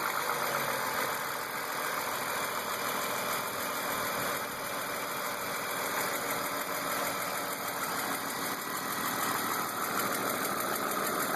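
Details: BMW E36 328i M52 petrol six at 175,000 km idling with a fast light ticking over top-end clatter; runs strong. M50 intake, M3 headers/exhaust. Oil, cam/crank sensors, injectors, lifters, chain tensioners, upper chain, VANOS seal already replaced; oil/fuel pressure and cam clearance checked.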